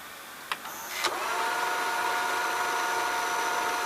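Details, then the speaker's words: Funai FHC-1200 4-head hi-fi stereo VCR (Shintom-built chassis) fast-forwarding: after transport-engage clicks, a thin steady high-pitched motor squeal holds throughout; owner says the motor needs lubrication. "Yeah, you're gonna hear the motor squealing. It needs to be lubricated. Wish I can somehow shut that thing up."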